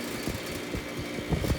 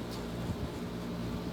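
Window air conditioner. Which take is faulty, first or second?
first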